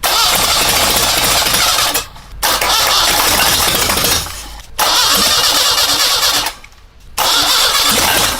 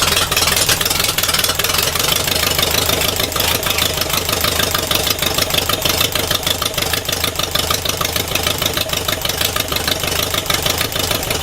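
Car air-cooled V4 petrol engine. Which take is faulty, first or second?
first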